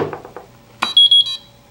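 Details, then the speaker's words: PixController VideoEye Sony HD/Servo wireless motion-activated camcorder controller powering on with all DIP switches off (default continuous record, sensor A): switch click, then three quick high beeps before camcorder powers down and 30-second warm-up; normal power-on beep sequence. "you hear the series of beeps again and it'll power our camcorder down"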